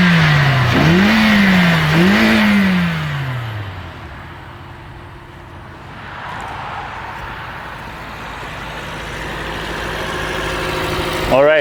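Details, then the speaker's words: Toyota Corolla 1.8L, after replacing a defective fuel pump assembly to fix a crank-no-start: two quick clean rev blips rising and falling smoothly, then an even idle; running healthy, about 49–50 psi fuel pressure. "so right there it starts it's fixed guys I'm going to rev up the engine"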